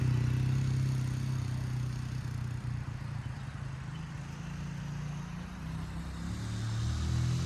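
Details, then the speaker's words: 1977 Honda XL75 single-cylinder dirt bike revived from storage, fuel shut-off fixed: even, steady single-cylinder beat with clean throttle blips and no knocks or misses; normal running. "So, let's fire it up. Make sure it runs better now."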